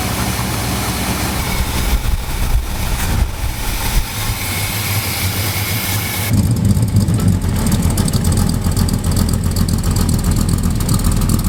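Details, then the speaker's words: 1978 Chevrolet K30 with 1984 350ci V8, after new plugs and wires and repositioning the valve cover that was causing a tick: steady low burble, no top-end ticking, much quieter, even idle. "we changed that valve cover around so hopefully it's a little less noisy with that valve tick that I always thought it had but it's just been hitting the uh valve cover the whole time so let's get her started let's see what it's like [Music] oh yeah that's a lot quieter"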